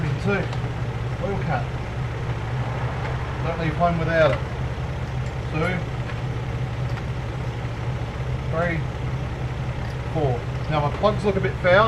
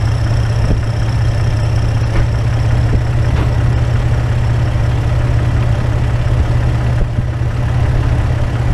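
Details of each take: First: Toyota AE101 Levin, a few hours after reassembly following timing belt, crank and cam work: even, settled idle with a steady low hum and no knocks or misses, though the owner thinks it needs more oil; normal idle. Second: Toyota AE101 Levin after timing belt, crank and cam work, jump-started with a dead battery: loud, uneven idle with a choppy low throb and no settled rhythm; the spark plugs looked fouled.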